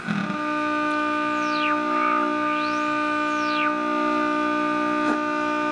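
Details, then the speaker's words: GE tube radio under repair, drawing about 190 mA, with suspected front-end problem and oscillation, tuned to around 589 on the dial: steady clear test signal with whistles as the dial moves, good reception though tuning is poor. "there is 589 you can hear it's a pretty good signal coming in"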